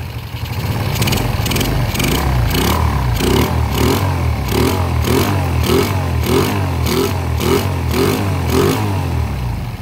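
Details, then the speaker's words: Yamaha Jupiter Z single-cylinder engine after rebuild and oil refill; quick repeated throttle blips above a steady idle with no knocking, running very smooth again unlike before the repair, when the engine was noisy. "suara motornya sangat halus apa sangat halus kembali beda dengan sebelumnya ya"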